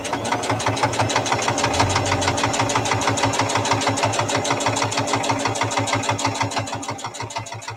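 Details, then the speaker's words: Sewing machine stitching through heavy fabric: a steady needle thump of about three beats a second that grows heavier as the layers get thicker; normal load, nothing wrong. "as you can hear the thumping as it gets thicker along the fabric"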